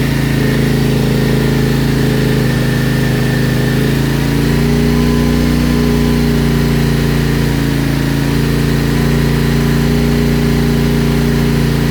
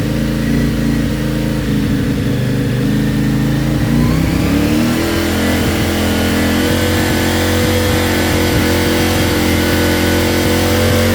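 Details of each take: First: CFMOTO Ibex 450, warm, idling after TEAM MSC ECU tune meant to fix surging and jerking between 3500 and 5500 rpm: steady single-cylinder idle, even beat with no surging or hunting; sounds smoother, though tach still bounces slightly. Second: CFMOTO Ibex 450 before ECU tune, warmed to 180, cruising around 3500–5500 rpm with cruise control: uneven pitch that dips and shifts, bike bucking and surging forward; jerky throttle surging.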